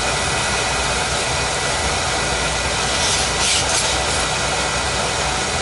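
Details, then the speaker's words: Oil boiler burner after running out of oil and being bled: heavy, constant roaring rush of flame with no pulsing or sputter, not choked; very loud, hard firing suspected from an oversized nozzle, to be swapped for a smaller one. "going to change a nozzle on it a big big nozzle on that sucker I'm going to put a smaller nozzle sounds like a monster sounds like a big nozzle y'all doesn't seem to be choked so that's good"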